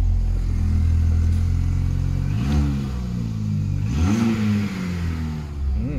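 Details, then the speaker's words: Classic Mini bought cheap without a key, first start on a battery pack after being towed in, weather cold but not freezing: idles then revs cleanly in quick blips and settles, no knocks or misses; runs healthy. "sounds right so that's it running"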